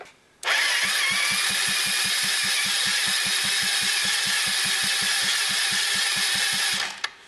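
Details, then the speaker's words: 2004 Yamaha Zuma 50 scooter with no-start from misassembled starter clutch conical washer, after reassembly: starter spins engine with steady compression pulses about five a second for six seconds but never fires; something still not right. "Well, it sounds like it's making compression. Just put my finger over it and feel. Well, something's not quite right here."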